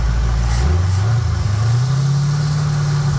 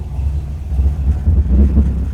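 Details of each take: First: Carbureted engine hot at 212°F coolant, hood raised, phone over the carb: first throttle hit sends a big rush of fuel in, and the engine bogs and nearly dies, then drags back into an uneven, struggling run; flooding, clears after repeated throttle. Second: Carbureted engine after idle-speed and idle-mixture screw adjustment (screws were out about 5 turns, now run in 3.5): steady, even low rumble at about 900–950 rpm with no stumbles or dips; previously nearly stalled at every light, now idles great.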